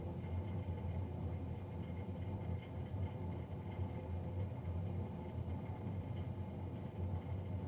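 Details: Navien NCB-240 boiler recorded three days after a Jan 31, 2020 service: constant low drone with steady hum and faint unchanging whistling tones; combustion fan running loud.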